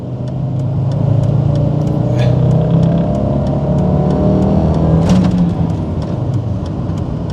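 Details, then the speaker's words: VR5-powered car held in first gear trying to drive off a bridge with the brakes stuck on; the engine is fine but labours with a deep, strained note, barely moving. "so the engine is fine but the brakes are stuck on this is junk dealing 101 here"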